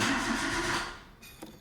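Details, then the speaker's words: 2008 Renault Clio Mk2 1.2 MPI, manual: starter turns briefly then the engine is cut off without firing, no spark and no fuel; short crank no start caused by the immobiliser cutting out, no communication with the scan tool. "today I've got a renold Cleo 08 2008 the last of the mark 2s I'll show just now our lights come on as normal if you leave it sitting for a couple of seconds no crank all the lights go off no crank what just telling me it's immobilizer however switch it off go straight onto crank it cranks fine but it kicks me out"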